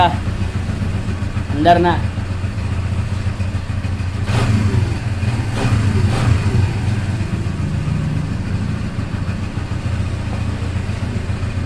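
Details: Newly overhauled Barako 175 single-cylinder motorcycle after a tune-up to fix hard starting: steady, even beat with a couple of clean throttle blips; sounds healthy now.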